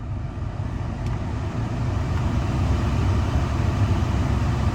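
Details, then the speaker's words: 2014 Chevy Cruze cabin blower after a cabin air filter change, once leaves that fell into the blower were removed: a smooth, steady low whoosh of air with no flutter, normal blower operation. "Okay, but after removing a few of the leaves that apparently fell down in the blower when I pulled the filter out, now it sounds a whole lot better."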